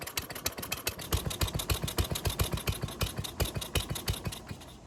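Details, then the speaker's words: Toro lawnmower that starts but won't reach full speed, with fresh ethanol-free fuel, oil full, and air filter removed: chugs unevenly at about three and a half beats a second, loping and never reaching full governed speed. "And as you just heard, the engine's running very choppy, which is not what you want in a lawnmower."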